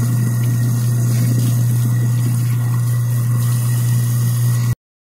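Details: Apartment garbage disposal after being cleared: steady, even low hum throughout with no grinding or rattling, turning freely; normal running.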